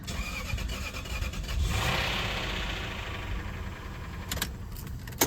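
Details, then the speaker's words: Lexus LS430 with engine and transmission replaced 5,000 miles ago, leaking oil at front main seal, started after sitting a month: cranks, catches with a loud surge, then uneven idle with an irregular knock; cause unknown, oil level to be checked. "That did not sound good. That sounded like a knock. That sounded awful. That sounded absolutely awful. Didn't that sound like a knock?"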